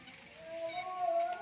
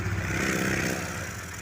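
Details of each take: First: Honda Vario 150 scooter, hot engine at idle/low rpm: thin steady squeal, much louder when hot, from friction between the ceramic and mechanical seal of the original, never-opened water pump; bearing also worn from overdue, black oil; water pump mechanical seal squeal. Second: Honda Vario 150 scooter engine at low rpm with the water pump removed (its factory seal was still intact): even, steady hum, and the usual ngik-ngik squeal is gone, pinning the noise to the water pump.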